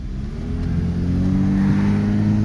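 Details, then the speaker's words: Kia 4WD at about 220,000 miles, after its plugged air filter was fixed, accelerates with a smooth, even rising note and no misfire; the engine is smooth, though an exhaust leak is noted. "The car is smooth. Okay, we have an exhaust leak, but the car is smooth. Car is smooth."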